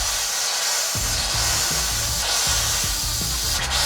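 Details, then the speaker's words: RV travel trailer being dewinterized: the fresh water pump runs steadily with loud rushing water and a low pulsing hum, vibrating the floor, while the hot water tank refills after purging air. Normal pump operation. "I hear the pump going again. In fact, I can feel the pump vibrating on the floor. Because as we got the air out of the hot water tank, it's having to fill back up again."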